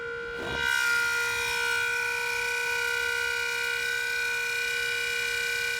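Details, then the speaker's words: Suzuki Grand Vitara cabin blower fan, cabin air filter badly clogged: loud, steady high-pitched scream at one pitch while the blower spins; the owner first suspected the bearing, but now doubts it. "okay so on second thought I think it actually is the bearing on this thing"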